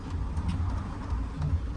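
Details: 2018 Citroen Relay diesel van at about 120k, idling: a steady low rumble with no rattle or chatter from the clutch, heard in contrast to the noisy clutch on another Relay van.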